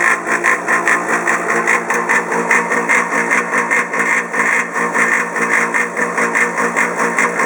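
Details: Polaris PB4-60Q quiet-model booster pump for 380 pool cleaner, a few years old: harsh loud buzzing roar pulsing about 2.5 times a second, audible over 100 ft away; cause unknown.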